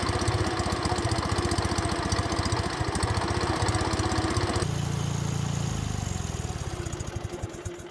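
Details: 1950s Wisconsin two-cylinder engine with Zenith updraft carburetor on a woodsplitter: steady, even chuffing at idle with a firm low exhaust beat, no misses or knocks; running smoothly, normal idle.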